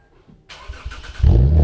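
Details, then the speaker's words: Drag car's first start after refitting the exhaust tips and fixing most exhaust leaks, which are still gappy: brief crank, then it catches within a second into a deep rumbling idle with a throaty exhaust; normal start. "So, you know what time it is? It's time to give it a first start."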